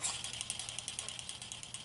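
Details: Kerosene torpedo heater, first service after seven years: pump rotor reassembled and spun, light crisp clicks about eight a second, steady and even with no drag or scrape; turns freely without binding.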